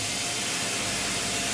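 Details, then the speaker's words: 2000 Fadal VMC 6030HT 5-axis mill, spindle kicked into high gear above 3000 rpm (max 10,000), not warmed up: steady smooth airy hiss of air through spindle, no knocking or grinding; running cleanly. "And there it is, same thing, nice and smooth. It goes up to 10,000, you know, all the way up. It sounds like that."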